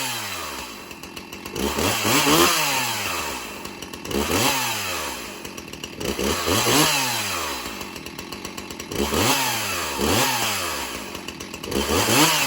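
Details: Stihl MS361 Farm Boss chainsaw with 20-inch bar (does not smoke cold); engine revs up and drops back about every two seconds, pitch climbing and falling cleanly with no misses; healthy, crisp-running saw.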